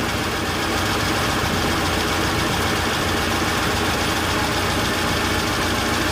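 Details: Rover P6 V8 idling after starting despite dodgy starter wiring, oil and water checked: smooth, even tick-over, steady level, no knocks or misses; healthy idle.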